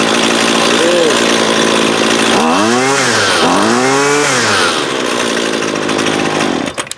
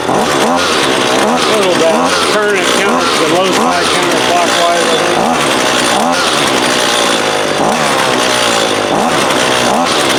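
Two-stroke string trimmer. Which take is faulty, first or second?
second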